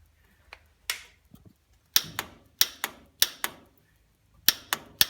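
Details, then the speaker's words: Old Farmall tractor being revived, ignition on: sharp dry clicks in short irregular bursts, no cranking; solenoid works but starter won't turn; suspected stuck starter or bad solenoid contacts, replacement solenoid planned. "That's the solenoid working, but the starter doesn't. So either the starter's stuck or the contacts in the solenoid are bad."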